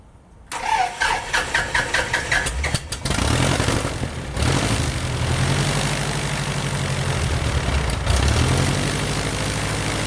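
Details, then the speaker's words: Titan IO-340 180 hp in RANS S21, first successful start on third try, mixture rich: a dozen quick cranking pulses, catches and settles to steady even idle; clean normal start after idle setting fixed. "Woohoo! We got engine start. Uh had a little bit of problem with the idle and some of the idle setting, but that's all we worked out. But other than that, engine start sounds great."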